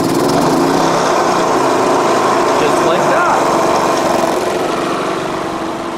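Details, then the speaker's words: Portable generator running in economy mode: even light drone at steady speed with no surging, knocking or misfire; normal running in eco mode. "It's in econo mode there. back the other side. At least in this area you won't hear it very much."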